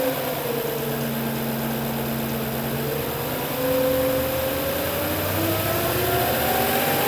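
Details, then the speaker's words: 2005 Audi S4 B6 4.2L V8, 143,000 miles, cold morning start after earlier ticking repair: fast idle with light, quick ticking easing as revs fall; it ticks until oil pressure builds; timing chain tensioners/guides previously failed. "okay that was a cold engine in the morning starting up I'll do this again ler later with a hot engine and you'll hear the louder ticking at idle"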